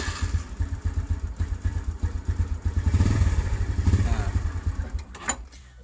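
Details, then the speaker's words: Honda Revo Absolute/Blade carbureted motorcycle with the key on and the starter circuit jumpered for testing. The starter turns the engine with an even, strong chug at about four pulses a second. Starter motor brushes are good; normal cranking. "Berarti kalau misalkan sudah begitu arang dalam dinamo starter masih bagus"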